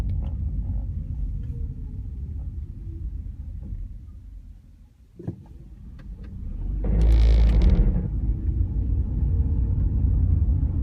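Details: 2004 Honda Civic Hybrid CVT pulling away from a stop: low shuddering rumble swelling under load; owner attributes it to a slipping transmission belt, the known CVT start-clutch judder, with a dealer fix.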